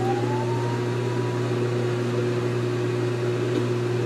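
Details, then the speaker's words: GE Infusor GTWN5050M0WS H.E. washer running empty, drain pump on after the drip-dry pause: constant low hum with a faint higher whine, level throughout and louder than the machine; normal pumping. "I'll get a cry out that's working the drain pump is louder than the machine"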